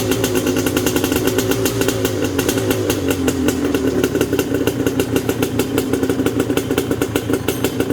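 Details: Yamaha Banshee two-stroke quad with rebuilt top end (new pistons and sleeves), kick-started: crisp, busy crackle, even firing that picks up cleanly on the revs with no knock or rattle. Right side smokes more; carb sync suspected. Runs healthy.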